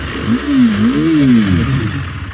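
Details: 2017 KTM RC 390 BS4, single owner, about 11,000 km, no major complaints: single clean blip where the engine note climbs and settles back smoothly, no knocking or rattle; healthy rev.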